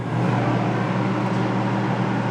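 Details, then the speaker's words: Homemade DIY evaporative swamp cooler, two-speed fan wired to run on high: constant low hum with an even airy whoosh, no rattles or rubbing; this is all the noise it makes, normal fan running smoothly. "Whenever you turn it on, this is really all the noise that it makes."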